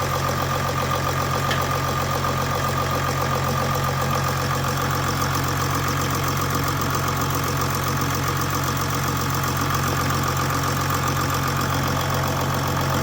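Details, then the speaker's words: 2008 Jeep Grand Cherokee WK CRD, Mercedes OM642 V6 diesel, first start after timing chain tensioner replacement: starts instantly into an even idle with steady clatter and hum, no chain slap or rattle. "Wow. Instant. That's excellent. And actually, I thought it was going to sound way worse for a lot longer."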